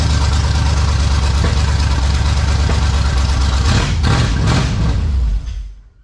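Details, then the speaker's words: 1971 Chevelle wagon V8 on a new self-contained fuel system and switch: loud, lumpy idle with a faint irregular tick about three per second, apparently from the back of the motor; owner unsure of the cause, possibly a blown gasket. "so now it runs by the switch and it has its own fuel system that actually has gas in it and the motor makes that sound i don't know i don't get it here it's coming off the back of the motor"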